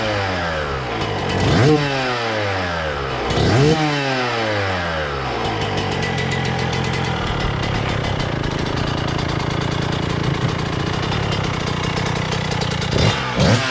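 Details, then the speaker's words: 2000 Suzuki RM125 two-stroke after cleaning and carb adjustment, revved on the stand before a test ride: crisp blips then a burbly, uneven idle that won't clean up; owner feels it is still running a little rich. "kind of feels like it's still running a little rich but we'll be back"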